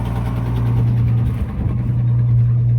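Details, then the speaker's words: 1966 Ford Mustang six-cylinder, cold, just started after sitting 22 years: rough, low idle with a puffing, chuffing pulse under the exhaust note. Owner hears a bad exhaust leak, cylinder unknown, and hopes it may ease once warm. "Sounds like it's got an exhaust leak pretty bad. Not sure which cylinder, but and maybe it'll go after after it warms up."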